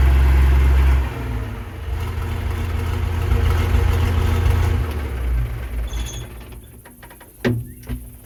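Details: Versatile 800 tractor diesel idling with the old, likely factory, roughly 50-year-old muffler removed: loud, raw unmuffled bark for several seconds before winding down; no muffler fitted yet.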